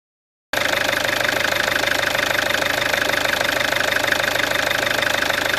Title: Peugeot 407 2.0 HDI engine sound (replacement full timming set) 400000km